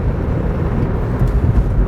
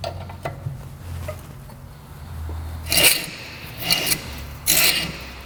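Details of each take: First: 2003 Nissan Sentra SE road test after front calipers, brake hoses and pads: steady low road rumble with no hum or growl from the front; wheel bearing quiet, steering tight. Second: 2003 Nissan Sentra front brakes after a brake job, wheel turned by hand: hissy scraping about once a second from rust coming off the rotor rubbing the pad; expected to go away.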